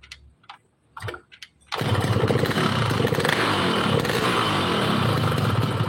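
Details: Yamaha RX King two-stroke brought in for stumbling at low rpm, after work: a few handling knocks, then it fires up and settles into a crisp, even, steady idle with no stumbling; sounds healthy.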